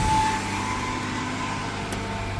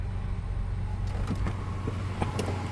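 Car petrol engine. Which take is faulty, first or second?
first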